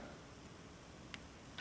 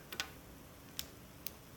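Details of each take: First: 7.3 Powerstroke glow plug relay, opened up and powered from about 11.1 V of batteries: quiet background, then two crisp ticks about half a second apart as the relay contacts snap over cleanly when the coil is energized. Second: Glow plug relay from a 7.3 Powerstroke diesel, opened up and bench-fed from one battery on its DC coil: three sharp dry clicks as the contacts pull in and release, with a small pop, maybe a spark.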